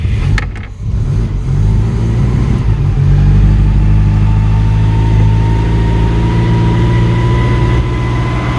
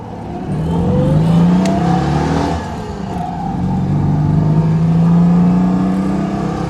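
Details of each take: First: Citroen "Giselle" catches after a few cranks, with fuel drained from the carburettor after sitting and the airbox off: it runs cold and lumpy with hunting revs. The choke over-chokes but under-revs and won't hold idle. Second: Citroën 2CV on the road with the roof off: the small twin pulls cleanly, its buzzing note rising and easing with throttle, no knocks or misses; the rattling is probably just the windows. Normal running engine.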